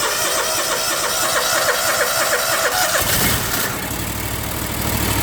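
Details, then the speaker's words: Small engine with electric fuel solenoid on a brand new carburetor that wouldn't start, after fixing the solenoid, choked by pliers: cranks roughly about three seconds, then catches and runs steadily; normal start. "There it is. Like I said, even though it's brand new, it doesn't mean it's working. So, but that's the secret to getting your machine running after you put your new carburetor on and it ain't starting."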